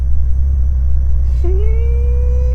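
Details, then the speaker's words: Bentley, claimed 550 hp, idling: over steady low idle a thin tone rises then holds a steady whistle about a second, goes away after waiting; brake booster noise needing fixing. ">> The brake booster. In fact, you know what? If I wait a bit, let's just wait a bit and it'll go away."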